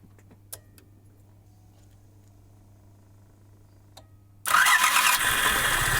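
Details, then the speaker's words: ZAZ Tavria Sens engine after repair, reassembly and valve adjustment that cured a loud knock at idle: quiet at first, then it starts and settles into a steady, even, smooth run with no knock. "Сейчас двигатель работает ровно, спокойно, равномерно."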